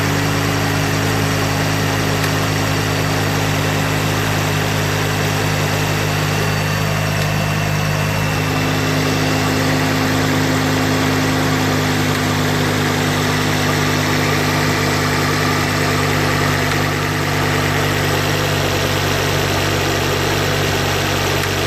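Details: Mk2 pre-facelift Ford Focus ST five-cylinder petrol engine idling steadily, with a light, faint clicking just audible over the hum.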